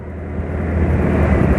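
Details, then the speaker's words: Suzuki Nex II scooter just after oil change to Fastron Techno 10W40 (about 600 ml new oil, ~15% old oil left, cooking oil not yet added), previous oil ran nearly 9,000 km: steady low drone, even and rising slightly, no knocks; normal smooth running. "Tapi ini saja masih halus kok suaranya ya, karena memang masih ada sisa oli lama di mesin kan, sekitar 15%."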